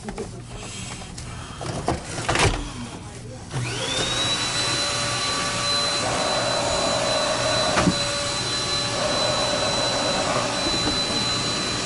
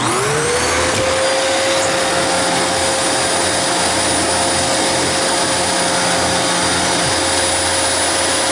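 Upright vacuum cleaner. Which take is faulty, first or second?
first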